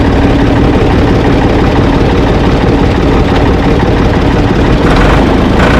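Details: Ford 445 diesel tractor, owner thinks a 1970s model, restarted with owner aboard: steady, even idle with low heavy beat, no misses or knocks; engine fine, though drive in forward and reverse quit, owner suspects linkage.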